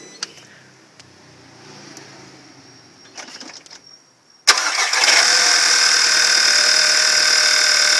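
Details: Audi TT 1.8 TFSI (CDAA) cold start: brief quiet, then the engine catches into a loud, bright, fast clatter over the idle; the owner suspects the timing chain.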